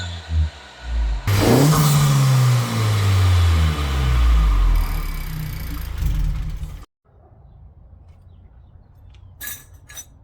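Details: 2024 Honda Civic Si, just after installing a 27won short ram intake: strong deep intake roar through several blips, pulling evenly and settling cleanly. Healthy engine with induction noise.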